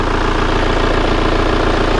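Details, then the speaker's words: Kia Carnival diesel idling shortly after start, not yet warmed up, with the radiator cap checked and showing no compression bubbles. Even, steady clatter with no knocks, misses or rattles; judged smooth, crisp and comparable to an Innova. Normal idle. "Nah bisa didengarkan ya suara Carnival diesel Ini Tiang masih bagus itu banyak segar halus setara dengan Innova"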